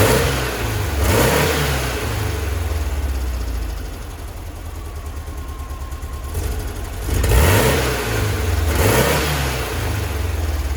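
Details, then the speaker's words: 1966 VW Split Bus dual carburetors after drilling mid-range jets to 60: blips from idle swell in bursts with slight stumble as revs climb; acceleration hesitation persists, accelerator pump adjustment next, possibly 70 jets. "all right so still have a little bit of a hesitation we're gonna crank the uh accelerating acceleration pump just or the injectors just a little bit"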